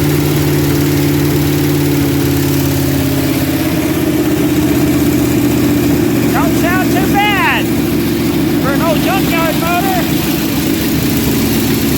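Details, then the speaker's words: Junkyard 1977 Dodge RV 360 V8 started on the ground, settling into an even, steady idle with a firm low rumble and no knocks or misses; runs healthy for an old junkyard motor. "but she don't sound bad for an old junkyard motor hey that ain't bad at all"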